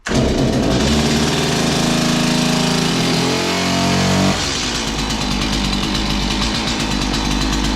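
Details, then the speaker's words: Stihl MS 180 chainsaw, started with choke then half choke, chain brake on: fires and holds high buzzing speed, then drops cleanly to a steady, even two-stroke idle once the trigger is blipped; starts and runs normally. "so when it started up i hit the trigger it went back into its normal runner position then i disengage the chain brake i can rev the engine work away"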